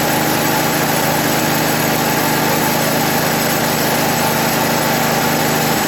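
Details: 1980 MTD SnowFlite 5-20 snowblower with a new Qazaky carburetor, mixture screw opened one turn from nearly shut: small single-cylinder engine holds a steady, even buzz for six seconds without surging or dying; running normally.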